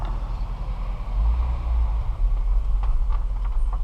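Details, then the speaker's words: 2014 Dodge Durango Citadel Hemi AWD after replacing front sway bar links, driving over garage lip that caused clunking: only low tyre rumble, no knock or clunk from front end. "the noise there no noise there one more time okay here we go again no noise no noise"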